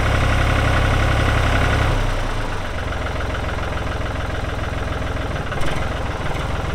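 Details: 1999 New Holland TN65S 4WD diesel tractor, 8-speed hydraulic shuttle, NH 33LA loader, 4,162 hours: heavy steady diesel idle settling after a rev drop, even beat about 3.5 per second, no knocks or misses; hydraulics strong, engine sounds good — normal diesel idle.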